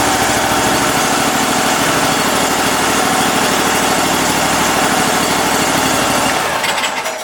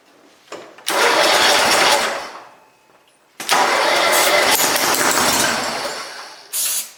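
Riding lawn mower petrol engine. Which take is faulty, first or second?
second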